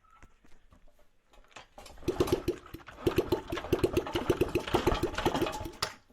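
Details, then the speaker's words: Dump-find Honda CRF50, about 50cc, after starter fluid: small single pops unevenly into life for a few seconds, ragged and slowing, then dies; it needs a bit of throttle to keep running. Cause unconfirmed. "Okay, so I promise it just ran. Except you need a bit of throttle. Needs a little bit of throttle to run."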